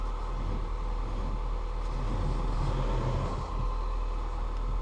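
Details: Skoda Fabia Monte Carlo, 58,258 on the clock, bought as a non-runner, just started: steady, even idle with a smooth low drone and no knocks or misses; engine running normally.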